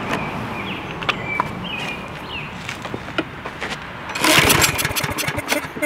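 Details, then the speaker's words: Craftsman lawn mower: repeated rope pulls with recoil rattle spin the engine, but it never fires once, because the spark plug wire was disconnected. "on oh dummy disconnected the spark plug idiot"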